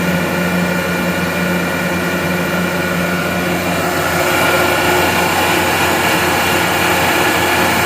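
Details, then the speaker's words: Gardner Denver Electra Screw EBE99K, 24,873 hours, freshly serviced, warm at 114 degrees: automatic restart after dropping to reset pressure; steady hum shifts to fuller rushing tone about four seconds in as it loads; smooth and healthy. "We are going to have the unit fire up automatically here. It is almost back down to its reset pressure, and there you go. Went down to 5. Now it's fired right back up."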